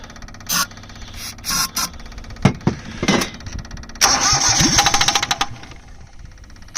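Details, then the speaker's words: 2002 Cushman Truckster repowered with Perkins 103-10 diesel, bleeding injectors on an undersized battery previously dead eight months: weak uneven starter churning in halting bursts, slowing; battery nearly flat. "Damn. I guess we'll jump it with the dually. I pretty much have brutalized this battery."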